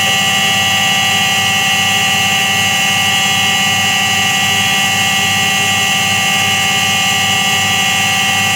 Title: Как гудит подшипник стиральной машины